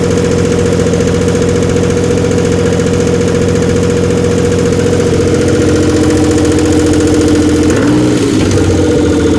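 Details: Twin turbo Stealth brought back to life after hydrolock, idling loud and busy with lots of carbon smoke; quick light ticking three or four times a second over the engine, suspected lifter tick.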